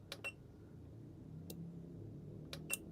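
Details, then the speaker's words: A few sharp, crisp relay clicks over three seconds, quiet background, relay pulling in at 12 V injected (7 V not enough) after measuring 370 ohms; normal relay click, though contacts then read open, possibly burnt inside. "We are drawing something now, but seven is not enough. 12. Ready? Yep, it clicked."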